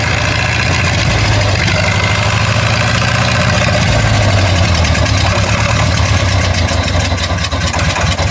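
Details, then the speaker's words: War Department roustabout crane on an International tractor, unrun for 35 years, started on lantern gas with a stick as belt tensioner, before exhaust and top water hose repairs. Heavy, uneven chugging that wavers and stumbles toward the end; rough idle, cause unclear. "Possibly why it could possibly not sound very healthy."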